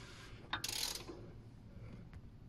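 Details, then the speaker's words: Toyota 1AZ-FE/2AZ-FE engine (RAV4 2.0L), timing chain tensioner just reinstalled, engine rotated by hand and filmed close at the tensioner; quick sharp metallic clicks fading — tensioner ratcheting out to set tension, normal. "you rotate the engine around until you hear this disengaging this will press against that and that will release so you'll hear this starting to ratchet and the clicking will happen until it goes out and sets the tension"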